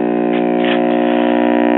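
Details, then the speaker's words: 1958 Symphonic portable tube record player with a two-tube amp (output and rectifier, no preamp) and BSR Monarch changer, warmed up: steady buzzy mains hum under everything from dried-out filter capacitors. "so as you can hear we have a lot of filter capacitor home tone control"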